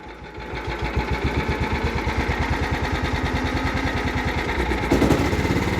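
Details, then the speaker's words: Cub Cadet 1330 Kohler at its slowest throttle setting after revival; slow, even putter of about three beats a second, steady with no knocks; idle judged fine and good sounding. "okay that's as slow as she goes which is fine good sounding kohler"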